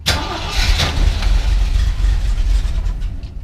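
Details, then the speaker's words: 1973 Jeep CJ-5 six-cylinder, first start after sitting a long while, pedal pumped repeatedly: loud, heavy, uneven cranking that labours several seconds before stumbling into running. A hard cold start; the owner wondered if it was low on fuel. "a little crabby maybe it's out of fuel hope not will pump it a bunch Hey look at that just a little cold-blooded"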